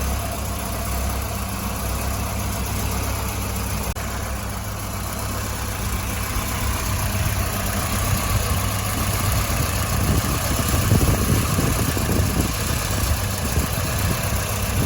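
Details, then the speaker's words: Warm idle on a 1985 Volvo 245 wagon with a stock B230F and LH2.2 fuel injection: a lumpy, uneven pulse that stumbles every few beats, with rough idle and off-throttle misfire. Cylinders one and two run cooler. Misfire from clogged fuel injectors. "it's developed kind of a misfire it's not running right but it does run"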